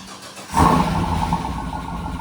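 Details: Cadillac Escalade first start after installing a cheap replacement transmission: quiet, then the engine catches at half a second and settles straight into a steady, even idle with no knocks or misses; starts cleanly.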